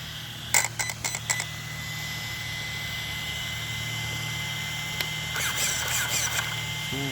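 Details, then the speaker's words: Redcat Shredder RC truck after replacing the stripped center diff, shimmed and filled with 1 million weight oil, first power-on: short throttle blips of motor and gear whir, no clicking or grinding; drivetrain sounds good. "Good. Okay, I think she's good. Sounds good."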